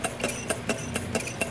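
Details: Stirlingtech LT001 low-temperature Stirling engine on a cup of hot water: light regular clunks about four per second, even with no misses; running smoothly.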